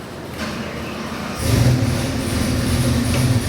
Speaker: That's the way all motors should be starting. Perfect idle, beautiful oil pressure, AFRs are right on the money.